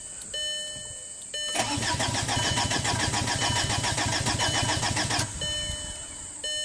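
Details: 2005 VW Passat TDI, 231,000 miles, after engine and transmission rebuild: steady cranking about three and a half beats a second with no firing; lift pump found not working, low-side pressure only 6–9 psi.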